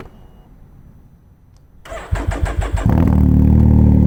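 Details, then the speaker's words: Can-Am Ryker, first fire-up after fitting a Treal Performance air intake, oil catch can and race exhaust and flashing a new tune: about a second of cranking, then it catches into a deep, loud, even idle. Normal start and idle. "So that's it. It is loud at idle."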